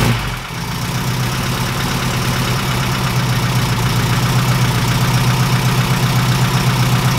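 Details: 1969 Ford Capri with a sewing-machine rattle, idling before the valve clearances are adjusted: a light tick about four times a second over a steady idle, from loose valve clearance; it ran quieter afterward.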